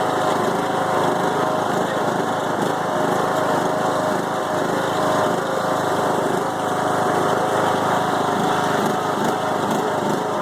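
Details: Five-year-old Craftsman mower, Briggs & Stratton Intek 20 HP twin, after a head gasket change following hydrolock (smoking stopped): ragged, uneven stumbling idle that never settles. It also bogs after mowing a while, cause unknown.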